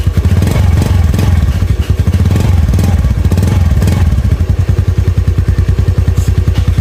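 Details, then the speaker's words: Honda Beat FI scooter after a new spark plug and a manual ECU idle reset. The single-cylinder putter holds a steady idle and picks up cleanly on the throttle without misfiring. The owner suspects the TPS sensor setting has drifted and will check it. "Oke sudah terdengar ya sama temen-temen jadi langsanya sudah normal terus di gasnya juga sudah tidak blebek seperti tadi ya"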